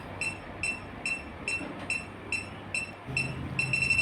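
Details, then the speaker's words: Split AC refrigerant leak test with electronic leak detector at the indoor unit joint: high beeps about two a second merge into one long steady tone, revealing a leak at the pipe joint. "ഇവിടെ ഒരു leak ഉണ്ട് കേട്ടോ. അതാണ് നീട്ടി beep sound കേട്ടത്."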